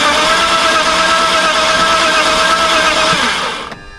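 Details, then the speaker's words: Cheap BMW project car before a spark plug check: steady starter whir with fast, even cranking for three seconds, no firing. The owner suspects a lack of air, fuel or spark; the first plug looked rough. "no clue what that means but it's not getting air fuel or spark or something"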